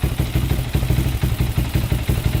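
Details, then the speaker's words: 2001 Honda 400EX on first start-up with choke left on: lumpy, uneven low thumping with missed beats, about to quit, throttle still high, smoking, possibly also burning old oil; engine stumbling from choke left on. "sounds like it's about to quit right there the choke was on that's why yeah throttle's still really high still smoking too"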